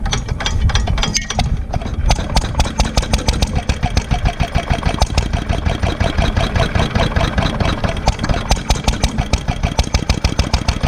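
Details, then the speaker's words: 1946 International Harvester LB hit-and-miss engine, cold start of the day using crank handle and choke: catches and settles into a quick, steady run of firing pops with no knocks or misses; normal cold start. "all right we're starting our up cold for the day grab a hold of the crank handle pull it out push down on choke"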